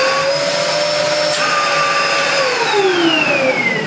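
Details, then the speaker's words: 1996 Dyson DC02 vacuum, before refurbishment, switched on with floor tool, filters missing; strong steady motor howl, high whine drifting in pitch as airflow changes; strong suction, probably from lacking filters; running normally. "Let's just turn it on. Nothing wrong with that. Has all that suction as well,"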